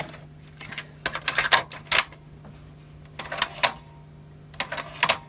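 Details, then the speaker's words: 1983 Marantz SD330 cassette deck after power transformer repair and a new motor and belts, playing a test tape: bursts of rapid clattering every couple of seconds as the transport stutters again; auto-stop operating slowly. "it's back to doing that weird stubbing then forgot about that because it came right yeah I'm doing it again"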